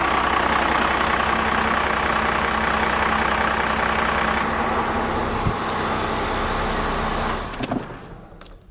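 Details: Straight-piped 4-inch exhaust Cummins diesel truck before advancing the injection pump timing: loud, slow, uneven loping idle with ragged clatter before winding down; idle set far too low, rough running.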